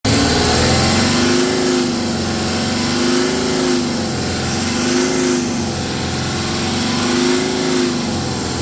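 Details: BMW X5 40d N57 diesel, revved repeatedly: a loud droning, resonant vibration-like noise swells around 3000 rpm. It has been present since the previous owner; heat shields and loose metal parts were checked with nothing loose found, there are no fault codes, and the source is unknown.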